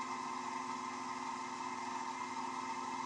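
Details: Wood lathe turning an off-centre (eccentric) mounted workpiece, slowed below the speed where rumbling started: even, steady mid-pitched hum with no throbbing or rumble; normal lathe running at a sensible speed.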